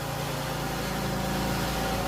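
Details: 2011+ Chrysler 300 after oil cooler replacement and intake reassembly, first start: smooth, even petrol idle with steady low hum, no ticks, knocks or misses; running healthy.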